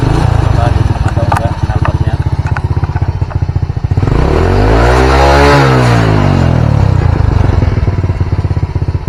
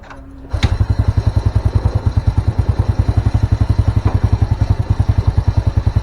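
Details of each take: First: Old Honda Supra single-cylinder (previously rich: black plug, hard morning starts, black smoke at mid-high rpm) idling after a new needle and main-jet seat, with idle set near 1300 rpm; even, steady putter at about four pulses a second, with a vehicle passing by; normal stable idle. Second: Old Honda Supra motorcycle, hard morning starting, black spark plug, black exhaust smoke at mid-high rpm from rich mixture; fires up into slow chugging idle, rpm low and dies when raised; carburetor needle possibly too thin.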